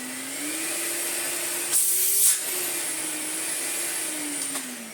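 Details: Miele S424i vacuum cleaner, first power-up after fitting a new plug: steady even motor whine holding one pitch with a faint sway, no rattles or grinding; runs normally.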